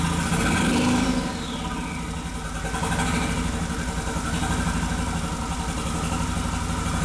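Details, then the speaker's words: 2001 VW Jetta Wolfsburg 1.8T (180 hp), bought non-running with a damaged engine harness, revved: uneven stumbling pulse and lumpy exhaust beat instead of a clean climb; scanner data shows cylinders 2 and 3 misfiring. "since we had misfires on the number two and number three the effect this cars running the other two silvers have to be we have this firearm number two and three"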